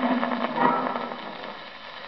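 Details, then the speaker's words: 1934 Marconiphone demonstration record. Harsh crackling rush with irregular bursts over faint broadcast reception, fading toward the end, caused by a refrigerator's small drive motor in operation. Electrical interference from the refrigerator motor. "is the interference coming from the motor of a refrigerator in operation."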